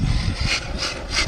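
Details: Arrma Kraton 6S RC truck with V3 shocks: harsh rasping bursts under throttle as the front differential's crown and input gears slip, caused by a loosened gear mesh and a cracked front diff case.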